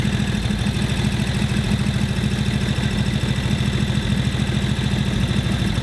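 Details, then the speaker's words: 1941 Harley-Davidson WL 45 cubic inch V-twin with a rough, loping, hunting idle that smooths and speeds up as the idle mixture screw is turned one notch at a time. A carb float-level check is planned because final mixture adjustment isn't achievable. "What are you listening for? It's speeding up. Hear that going smoother? Smoother."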